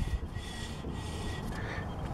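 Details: Ford Ranger rear drum brake after replacing the shoes and adjusting them by hand: faint, soft scrape repeating about every 0.6 seconds as the drum turns; light shoe contact, correctly adjusted.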